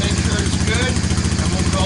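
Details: 1998 Honda FourTrax 300 ATV, cold start after a new battery was installed: a steady, even low idle with no knocks or misses, charging at 14 volts; normal running.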